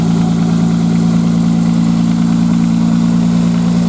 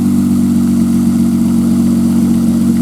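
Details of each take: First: 1995 Nissan Maxima, cold start: a light, fast tick at about three or four a second over a steady hum, like plastic on plastic, gone once warm. It is suspected to be a tensioner problem; an exhaust leak is also present. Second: 1995 Nissan Maxima after replacing two injectors, started after sitting a few hours; smooth steady low hum at idle with no tick or tap, earlier noise gone: normal idle.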